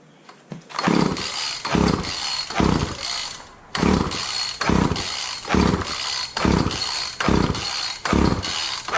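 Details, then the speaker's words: Wheeled walk-behind string trimmer, choke on, after carb spray: about one rope pull a second, each a short rasping spin that dies, never catching; crank, no start; owner suspects he flooded it and fouled the plug by pulling with the plug wire off. "I probably fouled the plug at this point. Let's try more. I think I flooded it out because I didn't have the plug wire on."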